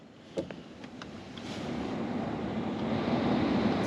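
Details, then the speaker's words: Flooded Honda S2000 heater blower, tested across speeds after heater components were swapped: fan whoosh builds smoothly and evenly with no rattle or squeal; resistor and blower motor confirmed good. Normal blower operation. "yeah it wasn't doing this at all guys so now I know for sure the resistor is good and now my blower motor is good"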